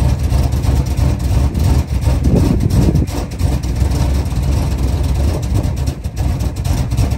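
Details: A 1977 Chrysler Town & Country V8 runs off a gas can after a pinholed metal fuel line was replaced. It has a deep, steady rumble with a slightly lumpy but even beat and no stumbling or knocking: normal running.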